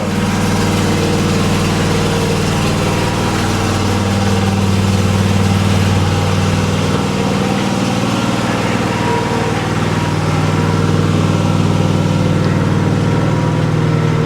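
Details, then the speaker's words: Gas mower running: loud steady engine drone with a constant low hum, no knocks, surges or rattles; normal running. "Now, one of the downsides to a gas mower, well, it's the noise. I don't know if you can hear it, but there you go. Oh, yeah. That's what I'm talking about. Lots of noise."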